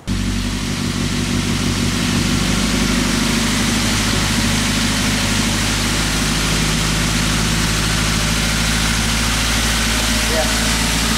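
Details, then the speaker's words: Toyota Avanza/Daihatsu Xenia just after starting, complaint of unstable idle sometimes high, sometimes low; fast steady idle over 1000 rpm against about 900 rpm standard, read on a scanner, no misfire: high idle. "Kondisi putaran stasionernya ini terlalu tinggi. Kalau standarnya stasionernya itu sekitar 900 rpm, tapi ini 1000 rpm lebih."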